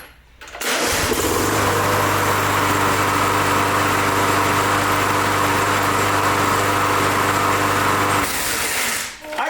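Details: 22-year-old Briggs Touch-N-Mow mower, button pushed again after the spring rewound: catches at once and settles into an even, steady buzz for about eight seconds before shutting off; clean, healthy start.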